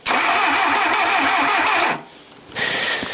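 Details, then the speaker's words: Junkyard Willys engine: about two seconds of rhythmic starter cranking with uneven pops, dies without catching; cranks but won't start, timing suspected way off among other things, possibly flooded. "all right so my guess is the timing is way off among other things"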